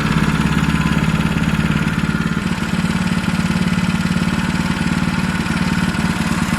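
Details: MaxPeedingRods MXR212 212cc horizontal 4-stroke single-cylinder recoil-start engine (Predator 212-compatible parts), first start: steady, even low mower-like thumping idle with no knocks or misses; healthy normal running.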